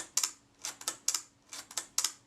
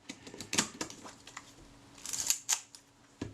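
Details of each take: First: Retina IIIc shutter being serviced for stickiness, speed cam plate lubricated with molybdenum paste: crisp double clicks only a blink apart at the one-second setting. The slow speed runs too fast; the fix is moving the gear train toward centre for more cam engagement. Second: Retina IIIc camera shutter during reassembly, after service for a very sticky shutter: crisp single release clicks with winding between. The adjusting screw is turned down until film-advance unlocking no longer comes slightly before the shutter fires, giving normal release timing.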